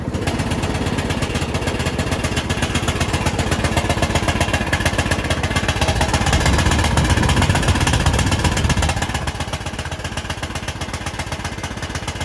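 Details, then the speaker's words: Bolens riding mower single-cylinder engine running after carburettor work, parking brake set: loud and ragged with a sharp popping bark about four per second; owner suspects an exhaust leak. "well it's running but it's making a lot of noise sounds like it's got an exhaust leak so the motor runs but we've got another issue"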